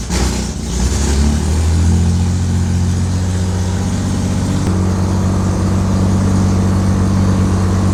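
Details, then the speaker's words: Air-cooled car, cold, just after the battery was hooked up: brief crank, then a clean catch into a steady, even low rumble with no misses or knocks. Healthy cold start. "Okay, battery's hooked up now. To be fair, it is cold, and it starts cold okay."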